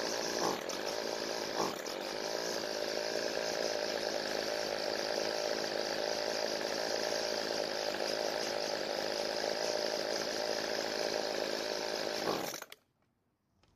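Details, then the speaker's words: Weedeater that starts but dies when the throttle is squeezed, with the L mixture screw turned using an ink pen pin; the first added fuel raised engine speed, more fuel slowed it; it buzzes roughly about twelve seconds, then cuts dead. Engine dies under throttle. "we able to hear that the engine changed both times when I added fuel the first time the engine speed increased and it ran fine but I added more fuel the second time it actually slowed the engine down"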